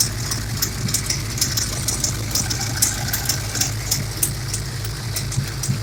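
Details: 351 Windsor SVO V8 hot rod after valve lash adjustment: crisp, regular puffing tick, roughly three a second, over a lumpy idle; driver's side header gasket leaking, plus a passenger collector gasket leak.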